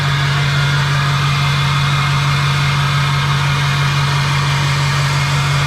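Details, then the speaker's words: LLY Duramax diesel first start after new turbo, exhaust and intercooler, intercooler not yet connected: steady even idle about three pulses a second, loud open exhaust roar, intake noise audible, oil pressure good, no knocks; normal idle. "no weirdness yet so we're gonna let this run just for a minute or two straight back off and recheck everything"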